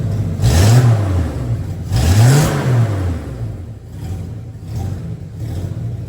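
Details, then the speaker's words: 1963 Plymouth Valiant slant six converted to EFI (turbo build), cold start, 38 psi fuel pressure, big exhaust leak, O2 sensor likely fouled: revs surge and sag about every 1.5 seconds, then hunt unevenly; unstable idle, owner believes the injectors are too large. "okay so I think we've learned that these injectors are indeed too large for this engine at idle it can't pull enough fuel out to like be happy it's close it's right on the bleeding edge"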